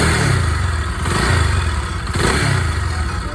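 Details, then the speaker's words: Bajaj Pulsar AS 200 engine at idle, a typical sound after 50-60 thousand km: faint, light, rapid ticking from the head, like timing chain noise but softer; worn camshaft. Replacing it stops the noise and slightly improves pickup. "तो इस type की होती है cam shaft की आवाज़। तो guys, जब इसको चेंज करते हैं तो आवाज़ बंद हो जाती है, ठीक है, और थोड़ा सा पिकअप में भी फ़र्क आ जाता है।"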